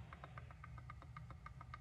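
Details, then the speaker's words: MLToys dual 775 motor first-gear delete plates on a Power Wheels gearbox: the pinion gear mesh is set with a hair of play. Faint, crisp clicks about eight a second as the gears are rocked by hand; correct backlash. "you hear that clicking when I move it back and forth that's your goal is to get a little bit of play in there"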